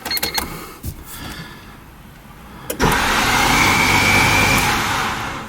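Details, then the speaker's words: EF Honda Civic hatch, cranking after a starter from a manual car was swapped in: harsh, raspy whirring with a thin steady whine and no catch; the starter drive sounds wrong. "not a good tune okay so I think we have a verdict on what is wrong with this"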